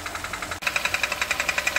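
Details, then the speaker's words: Kia Cerato 1.6 automatic idling in drive/reverse/neutral, barely in park: sharp, tinny knock about twelve times a second tracking engine speed, sounding like engine; timing chain previously replaced elsewhere; actually a cracked flexplate. "стук идёт из-под капота Ну вот такой звук у нас идёт когда коробка стоит либо на задней скорости либо на драйве либо на нейтралке то есть на паркинге такого звука практически не ощущается чуть-чуть Похоже что с мотора этот звук"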